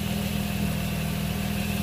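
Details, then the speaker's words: 2005 Nissan Altima after serpentine belt replacement and tensioning: steady, even idle with a low rumble and no belt squeal or chirp, where before the belt was screaming. "Now start it up. See if you hear a noise. As you hear, there's no noise, which is good. Before it was screaming."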